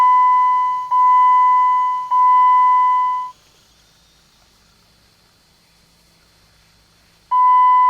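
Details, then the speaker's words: 2008 Jeep Compass 2.4L, ignition turned on: three even high beeps about a second apart, a pause, then another starts. This is the normal key-on chime sequence before the oil-change reminder message appears. "you're going to see a uh message in the uh display down there when I turn the key on after the Chimes finish"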